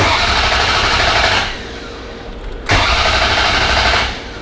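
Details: Ferrari 348 V8 after an engine-out major timing belt service, with ignition coils disconnected and no spark: two bursts of fast, even starter churning of about 1.5 s each while priming oil pressure; it turns over without firing.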